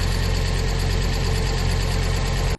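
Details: Fiat Coupe 20v Turbo Plus, first start after cam belt, belt kit and exhaust cam pulley replacement following a cam phase sensor failure; auxiliary belt still off. Steady, even idle with a smooth low rumble and no knocks or ticks until shut off.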